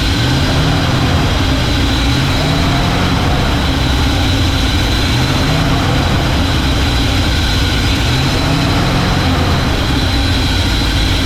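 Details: 1968 Ford F100 after a 4-barrel carburetor conversion, with a fuel leak also noted: a deep, lumpy, uneven loping idle. A vacuum leak, traced to a thumb-size hole; vacuum leak.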